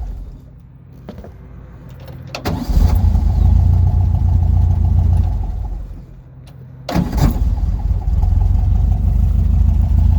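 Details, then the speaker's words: VW Volksrod with dual Weber IDF carbs and an EMPI distributor, after idle mixture screw adjustment and not yet hot. Its idle is still a bit sporadic, but after shutdown it restarts almost instantly into a steady idle, a healthy restart. "still getting kind of a sporadic idle but it sounds good enough for me see how the restart is"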